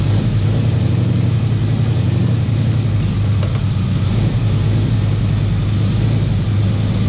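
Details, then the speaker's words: 1971 Plymouth Valiant Scamp, parked 16 years, idling off its own tank after the fuel hookup: deep, even rumble with a steady beat, no misses, knocks or ticks; running smooth and sounds healthy. "that's it can't get much better than that everything looks all right here do a quick walk around actually sounds really good just like that running smooth too"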